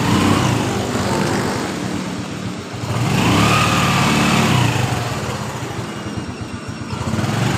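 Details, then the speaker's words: Honda Revo FI with hard starting hot or cold, hesitation and heavy fuel use, fuel pressure now 42 psi after replacing the cracked part: engine starts straight away, pops along steadily and picks up cleanly on throttle; normal running. "normal ya teman-teman motor langsung hidup dengan normal"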